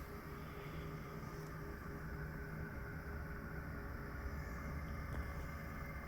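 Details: Pecron e3600LFP power station cooling fan starting around 46–47 inverter temperature, heard from normal distance on phone: steady low fan hum with faint grainy grinding rasp, considered normal; a previous unit was much higher pitched and ran continuously.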